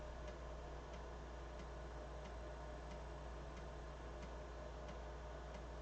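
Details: BBC Micro floppy drive formatting after its heads were cleaned: quiet, evenly spaced ticks about every two-thirds of a second over a faint hum; the head steps cleanly and no longer fails at track 0.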